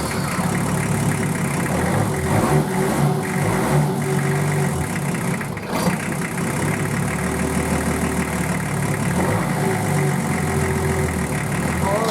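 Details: Nissan Patrol RD28 diesel just started for the first time after injector and pump install and bleeding air from the injector lines: steady, even idle with low rumble and light clatter, no misfire or stumble; normal idle.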